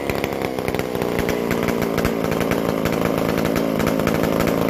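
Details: McCulloch Super Pro 125c chainsaw, fixed-jet carburetor with the mixture turned out slightly, base gasket resealed, modified new-old-stock muffler leaking pending a gasket. It holds a crisp, fast, steady two-stroke rasp, loud and raw from the exhaust but running cleanly. Normal running.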